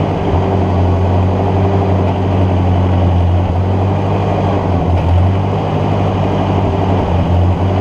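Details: Ford NAA Golden Jubilee tractor (1953/1954), parked over 20 years, spark restored by fixing battery connection: steady low thump with a faintly wavering beat, running only on fuel poured into the intake; owner suspects clogged fuel line.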